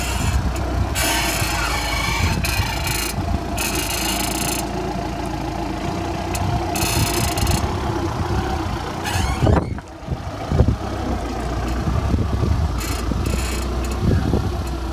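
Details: Audi A4 B8 at idle: smooth engine with harsh creaking bursts coming and going as steering wheel is turned; creak from steering or suspension.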